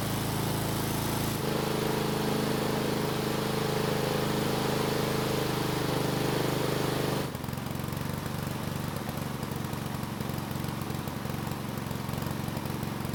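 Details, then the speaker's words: Husqvarna lawn mower small single-cylinder engine on test run after freeing a stuck carburetor throttle plate: steady, even drone with regular beat, no misses or surging; carb working properly, engine running well. "so it seems a stuck throttle plate was the problem and after freeing it the carb is working just like it's supposed to and the engine seems to be running very well"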